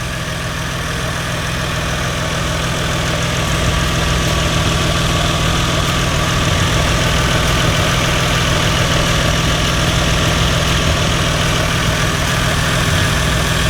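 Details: Lexus GS300 2JZ-GTE VVTi turbo at idle after a new Gates FleetRunner serpentine belt was installed; smooth, even idle with a steady low rumble and no belt squeal or chirp; engine sounds healthy.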